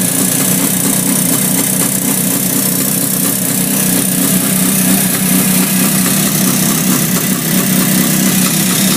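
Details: 1967 Yamaha YR1 two-stroke: busy idle with a fast, uneven ticking about four a second riding over it; source of the click unclear.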